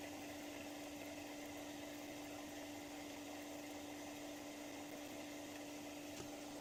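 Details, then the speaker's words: Experimental magnetic motor rotor spinning near 1466 rpm, speed dropping from 1470 to 1463; constant hum under a rough, gritty hiss from cheap, poor-quality rotor bearings grinding. "I know why my bearings are crunching a bit. One of the bearings is grinding a bit. That's why I've lost a bit of speed since it was at 1470."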